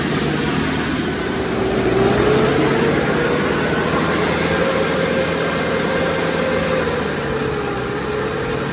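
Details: Cummins 3.3 QSB diesel from a stump grinder, run after rebuild with pistons, rings, rod and main bearings and head gasket (had oil from the blow-by tube), Insight connected: even idle, steady drone, soft tone drifting slightly as revs settle. Normal idle.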